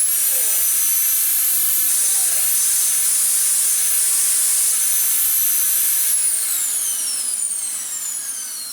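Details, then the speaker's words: Very old, never-maintained Dyson DC19 T2 Animal cylinder vacuum, cleaned out and run with no filters fitted: a high, clean, steady motor whine with no grinding, then a smooth wind-down. The motor is normal and undamaged. "Perfect. No long-term damage to the motor at all. She will live again."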